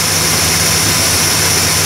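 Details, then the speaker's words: 1969 Plymouth Fury 383 V8 idling just after a points-to-ignition-module conversion removing the ballast resistor; oil pressure back after priming, module not yet warm. Steady low rumble under loud hiss, even beat, no stumble; runs good. "So we'll see how it goes. Looks like she runs good though."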